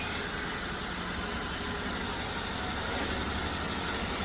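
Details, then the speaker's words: Toyota Avanza started after sitting five years with stuck throttle body: even, steady idle with no misses or knocks under hiss; runs smoothly like original. "Oh ganda ng menor. Ganda ng menor. Ganda ng menor. Parang original."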